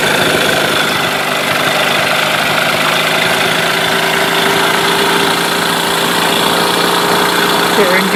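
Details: Mercury 8HP two-stroke outboard, unknown storage time, running in a water tub, in gear: steady even buzz at constant speed, no knocks or misses; healthy.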